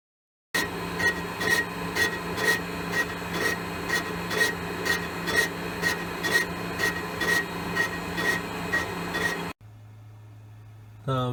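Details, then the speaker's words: Elliot 14S mill, test pass boring a 6.5-inch cast iron hole, handheld recording: rhythmic scraping bursts about twice a second with quiet gaps; tool bites only the high spots of an oval bore, wider section untouched. "You can hear the ovality. It's cutting in there and up there and a little bit here, so that wider section's not got touched yet."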